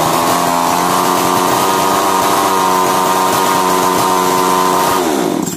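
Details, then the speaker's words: Chainsaw (model stated as "speed 652"), repaired for starting-then-stopping problem; after a new part fitted it starts on one pull, revs high and holds a steady, even howl about five seconds, then shuts off cleanly; normal running. "मारने पर machine start हो जाता है हमारा जो machine है वह बिल्कुल सही हो गया है नया का बैटर लगाने के बाद"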